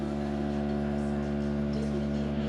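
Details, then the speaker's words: Electric compressor buzzing steadily, even hum, no knocking or strain, inflating newly fitted VB Semi Air Comfort rear suspension bellows to full on a 2021 Mobilvetta K-Yacht 79 motorhome (Fiat Ducato chassis); normal operation. "can hear the compressor buzzing away there."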